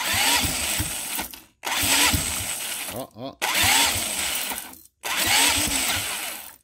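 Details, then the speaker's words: First EFI start attempt on a see-through engine, ignition timing offset oddly by 180 degrees, engine warmed to about 85–90 degrees: short whirring cranking bursts with no firing; cranks without starting, timing problem suspected, not confirmed. "definitely wants to start I mean it sounds exciting and the temperature of the engine went up to about you know 85 90 degrees that's kind of cool but yeah I definitely have to figure out what's going on with this timing tomorrow"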